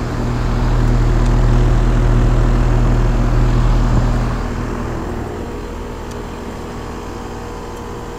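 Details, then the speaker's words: 2001 Trane XE1000 Weathertron 5-ton (60,000 BTU) base-model heat pump outdoor unit in heat mode, late November: loud steady low hum and fan drone, audible from the street, easing after a few seconds; running under high load, normal. "when this thing's running under a high load you can hear it all the way from the street"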